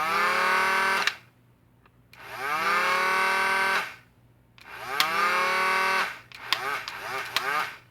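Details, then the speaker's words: Modified Stryfe Nerf blaster, rewired with 16awg wire, 15A snap microswitch and two MTB Rhino 130 motors with motor braking, on stock alkalines: flywheel whine climbs to a steady high pitch, then cuts off almost instantly; braking works, normal. "So I hope you can hear how short that rev downtime is, which for this kind of a sleeper modification is going to be really nice because you'll be able to run around and then go back to silent mode pretty quickly."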